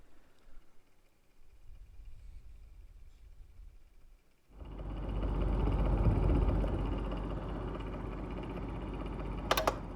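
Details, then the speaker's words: Stadler Form Oskar humidifier after 2 weeks of use, cover off, switched to faster fan speed: quiet hum jumps to a louder whooshing drone with a faint flutter about four per second; the wobbling fan is suspected as not normal. "i will take it to the warrant because i think this noise is not normal"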